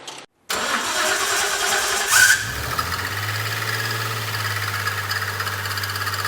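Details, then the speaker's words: Freshly rebuilt RB30 in Nissan 300ZX Z32, first start: catches and idles with harsh metallic grinding over it, shut off quickly to avoid damage; suspected timing drive behind front cover, unconfirmed. "I don't know it's honestly that sounds nasty so the more you're running it if it is engine it's going to be doing some damage so at least pull a cover off"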